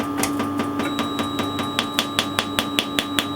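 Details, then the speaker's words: Quantronix Excel Dual Pulse 2000 holmium laser at raised power, fired at paper after shutter errors (600 not opening, 500 not closing). Sharp, even snaps about 2.5 a second over a faint hum; the laser works, though the fiber is damaged. Normal pulse firing. "Now you can see it actually works. So the laser itself works fine."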